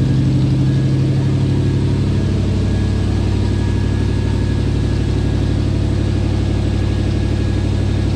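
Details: 1979 Lil Red Express truck just started after six months of winter storage, warming up: deep, even V8 idle with steady beat around three pulses a second, no misses or knocks; healthy warm-up idle.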